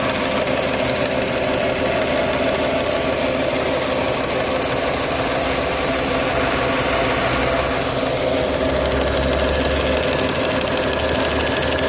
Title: KV6 Rattle noise